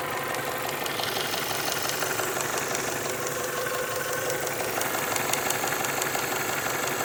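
Idling engine with a light, fast tick, roughly three per second, riding over the running; sounds like top-end valvetrain ticking.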